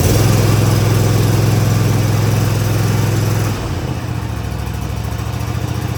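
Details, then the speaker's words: Cub Cadet ZT1 zero-turn mower, first start on choke after replacing the throttle cable and lever: the engine runs steady but never climbs to full governed speed and drops lower. The throttle cable needs readjusting. "Well, it does work. However, it's not throttling up as high as it needs to."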